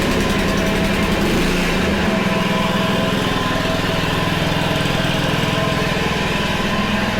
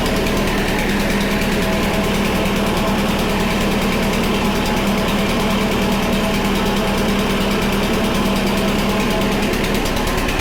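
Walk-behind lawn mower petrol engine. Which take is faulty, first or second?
first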